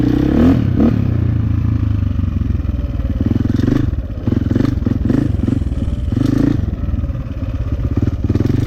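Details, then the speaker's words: 2004 KTM 450 EXC with Keihin carb, sat 6 years, on a test ride after leaning the fuel screw to half a turn out. A crisp single bark picks up cleanly without stumbling or popping, running normally; possibly still slightly rich off the bottom. "Woohoo! That is slippery. Sounds pretty good."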